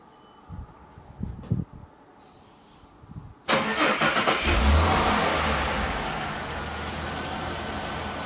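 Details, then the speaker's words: Car engine started and idled for a couple of minutes right after a DIY oil and filter change, with no revving until the oil light goes off: a few clicks, then the engine catches and settles into a steady, even idle with no knocks or misses. "Alright, so I'll start it up now and give it an idle for a couple of minutes."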